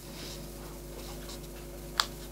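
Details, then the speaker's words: Old Yamaha Vixion motorcycle: a single crisp click from the engine cut-off relay, the leftmost of three relays seen from the front. Normal operation; with it off, the engine won't start. "yang sebelah kiri kalau kita lihat dari depan ini sebelah kiri ini fungsinya buat ini, jadi yang bunyi tiktok itu di sebelah sini."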